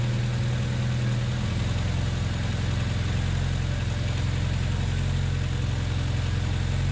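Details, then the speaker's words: 1993 Honda Accord CB7 H22A after power steering pump swap, freshly filled: smooth, even low idle with no whine or groan from the new pump, no leaks or noise; normal healthy pump sound. "Anyway, this is what a power ser pump should sound like. Sounds great. No leaks, no line, no noise."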